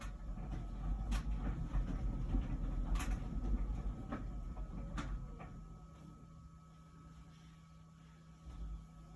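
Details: About a year old LG Wash Tower WKHC202HBA heat pump ventless dryer: low rumble with soft thumps about twice a second as the load tumbles, easing to a steady hum, before the new buzzing appears; normal tumbling.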